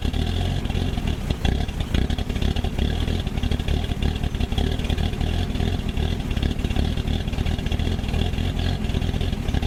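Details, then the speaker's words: Old Ford Courier WL-T diesel cold start in summer: heavy, uneven low clatter and lumpy rhythm, very rough and getting hard to start; glow plugs removed to diagnose, suspected failed. "you just seen how cold starts and that's pretty rough in it's not that cold a we're in summer and it's starting like like it's in Alaska"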